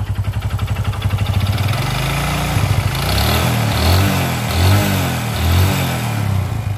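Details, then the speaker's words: Honda Supra X 125 motorcycle, noise from the middle of the engine: small revs from idle with a rattling knock that grows louder as revs climb and never goes away; worn connecting rod. "saat ee e gasnya ditarik putaran mesin tinggi suara yang ngeletrek juga ikut lebih kencang ya kkk Nah itu salah satu penyebab atau salah satu indikasi kerusakan pada bagian stang piston"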